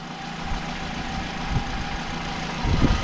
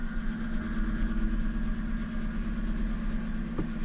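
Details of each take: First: 61 plate, grade 4 auction car, bonnet open: steady, low engine idle with an even rumble and no knocks or ticks; engine doesn't sound too bad, normal idle. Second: Car with 104,000 miles, long parked and unserviced since 49,000, just collected from auction, cold idle after a slow start: loose, uneven metallic rattle over engine hum, likely the exhaust, possibly from sitting parked.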